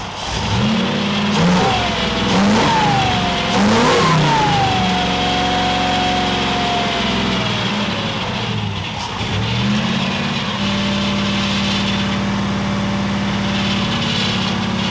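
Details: Kip's Willys Wagon, suspected vacuum leak: a harsh whirring crank with a rising whine as it catches and revs, then settles to a steady idle. The starter sounds rough.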